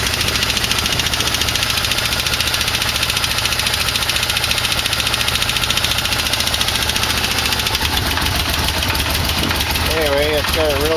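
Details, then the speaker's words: 1989 Yamaha V-Max, carburetors synced, in the frame with a weak battery and choke held on: fast, regular knocking over the engine, tied to engine speed and worse on acceleration and deceleration; not rod knock, owner suspects a balancer, source unknown. "but that knock just gets worse and your seller ating it makes a noise and when you decelerate it makes a noise it's a motor speed noise I don't know what it is"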